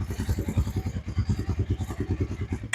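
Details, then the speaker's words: Suzuki King Quad single whose crankcase was full of fuel, running on starter spray with an empty tank: crisp, even thumping about eight beats a second, no misses, no exhaust smoke; motor sounds good, fuel delivery issue suspected. "um okay that's uh that's a great sign um motor does not sound bad at all I don't see uh smoke coming out of the exhaust"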